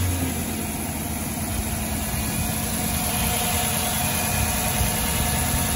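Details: 2006 Dodge Charger after replacing all 16 spark plugs (old ones badly worn): steady, even idle with smooth low rumble, no misfire stumbles or ticking; normal idle.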